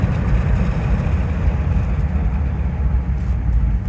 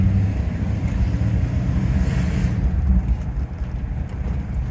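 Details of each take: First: Rolls-Royce Silver Shadow with SU carburettors, after carb tuning: deep steady V8 rumble accelerating from about 60–70 km/h, even with no misses or stumbles; engine running smoothly, though cabin hears an exhaust leak. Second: Rolls Royce Silver Shadow V8 on the move after SU carburettor tuning, heard from inside with the window open: deep, ragged rumble that comes from an exhaust leak; the engine itself runs smooth in the engine bay and is more responsive.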